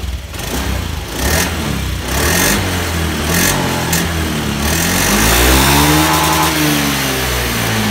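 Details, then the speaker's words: Motorcycle after cleaning fuel pump and its filter, previously unstable and sputtering; engine picks up cleanly and runs steady and very smooth with no stumbling or hunting: normal revving after repair. "Coba kita nyalakan. Putarannya halus sekali, tidak seperti sebelumnya. Sebelumnya kurang stabil seperti dedet-dedet gitu."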